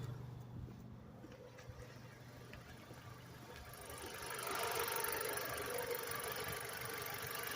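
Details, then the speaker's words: Car engine at idle, owner suspects oil pressure sensor or under-torqued valve cover gaskets causing oil seepage: quiet even exhaust burble with no popping, misses or ticking, no smoke; healthy exhaust note. "But look, the engine's on. Let's go look at the exhaust. No smoke. No smoke. Sounds like a healthy exhaust, right?"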